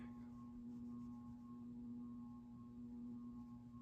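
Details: Craftmade CXL ceiling fan on a three-speed dimmer-type control: steady loud low hum with faint higher tones when turned down low; noise blamed on the dimmer control, medium speed apparently not working.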